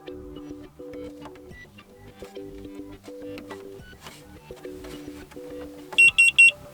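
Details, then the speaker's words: Xiaomi SmartMi Evaporative Humidifier, notification sounds switched on in the Mi Home app: three short sharp high beeps on button press; with the setting off the button press is silent. "now we can hear notification, and when we turn it off and then tap on the button, you cannot hear it."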